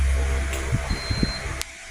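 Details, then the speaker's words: 12 V DC brushless electric fan motor after AC-to-DC conversion, test run before assembly: low hum with uneven scraping, rattly bursts; worn bushing running metal to metal, to be replaced with a bearing. "Medyo maingay. So bushing problem po pag ganyan ang tunog, metal to metal po"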